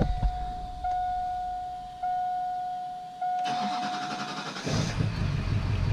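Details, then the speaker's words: Duramax diesel after pushrod replacement and a cylinder air check: a few cranks, then it catches and settles into a steady, healthy idle with no knock or miss, sounding much better than before. "oh my god this thing is running this thing is running he's all sounds like grab her up a little bit maybe and she seems to sound good sounds a lot better than what she did"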